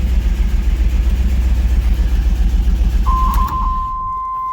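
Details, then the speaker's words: 1992 Trans Am off the road for years, good oil pressure and charging, black smoke and exhaust leak before the catalytic converter: loud, lumpy idle pulsing three to four times a second, seemingly on three cylinders; owner suspects fouled plugs from bad gas. "see it's got awesome oil pressure it's charging but you can hear it I think it's literally running on three cylinders it sounds terrible"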